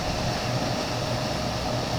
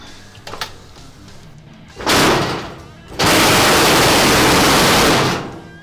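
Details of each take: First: Whirlpool dryer after replacing a broken blower wheel and clearing a lint-clogged vent, heard at the outside vent: steady, even rush of air with a low hum underneath, the flap opening normally. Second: This dryer was making a bad vibrating and rattling sound.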